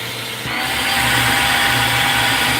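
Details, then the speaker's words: Vacuum cleaner with weak suction, motor running: covering a gap with plastic makes the motor whine jump higher and louder within half a second, pointing to an air leak; cause suspected, not confirmed. "I'm going to just kind of see if there's a leak anywhere where like just like this will get sucked in. Now look what it just did."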